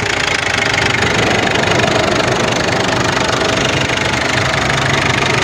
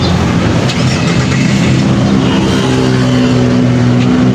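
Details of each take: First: Ford Everest diesel, previously fuel knocking with grey smoke, now idles with an even, light clatter after injector work; the knocking is gone and the sound is normal. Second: Ford Everest diesel idling with a rough, heavy fuel knock and grayish smoke, engine not overheating; one injector dribbling fuel, injectors removed for repair; diesel knock from a leaking fuel injector.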